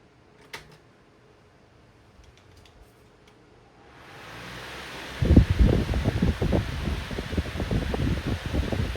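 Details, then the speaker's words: 14-inch Lakewood high-velocity fan (1999–2000): spins up from quiet to a steady rush with uneven low thumping wavering at speed; blade out of balance, bearings have no play, otherwise runs well. "unfortunately it is out of balance it kind of does sound like it has a startup sound it does run quite well there's no play in the bearings and none of that kind of stuff"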